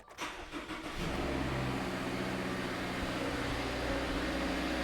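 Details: 2018 Subaru Crosstrek after spark plug replacement, jump-started from a battery pack: about a second of uneven cranking, then it fires and settles into a smooth, steady idle with no misses or knocks; normal start and idle.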